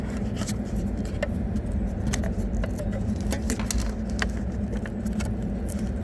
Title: TESLA MODEL 3 RIGHT HAND DRIVE DASHBOARD RATTLING NOISE